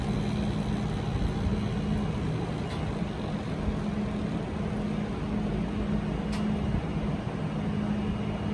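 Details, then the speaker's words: Losi 5ive-T 2.0 rear differential after adding a thin shim/spacer behind the bearing: wheels spin with an even steady hum, no grinding or clicking; diff turns freely. "you guys want to know how i managed to get it to spin this free without making any grinding noise"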